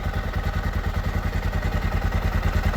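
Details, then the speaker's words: 1979 Honda XR500 single, freshly fully rebuilt, idling after noisy top end was fixed: even steady thump, no ticking left, slight mechanical clatter, judged ready to ride; normal idle. "The valve sound is gone, though. All right, I think this thing's ready to rip."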